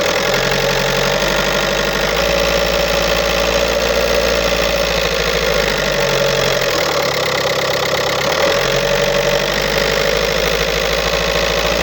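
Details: 2007 VW Golf Trendline 1.9 TDI diesel (BLS, 77 kW/105 PS, 240,050 km) at idle: a loose metallic clatter rides over the diesel knock and wavers with engine speed. A defective dual-mass flywheel is the cause.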